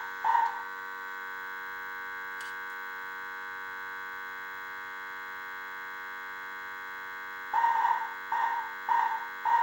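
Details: 1978 Bally Midway Sea Wolf II arcade board under repair, with monitor: steady high-pitched electrical buzz runs unbroken beneath short bursts of game sound, game sound failing; constant buzzing hum.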